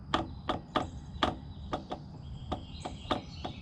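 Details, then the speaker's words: Pletscher Esge bicycle kickstand in the retracted position over bumpy trail; sharp metallic clunks, two or three a second, unevenly spaced, as the loose lever arm jiggles up and down. "because when it's in its retracted position, you hit bumps, the lever arm of it jiggles up and down, and it makes a clunking sound in there."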